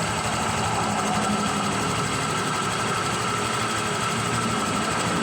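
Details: Honda Click 125 version 3 scooter, 26,900 km, engine noise complaint: fast light metallic ticking from the top end at idle, louder earlier; mechanic diagnoses worn cam chain tensioner, to be replaced with lifter and tensioner.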